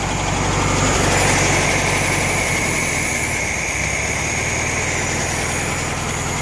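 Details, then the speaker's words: Air-cooled VW Beetle with swapped-in used engine, before warm-up and carb adjustment, after fixing a bad wire: even, regular idle chug about four beats a second, earlier stutter gone. "Yeah, that stutter went away. I I think I think so."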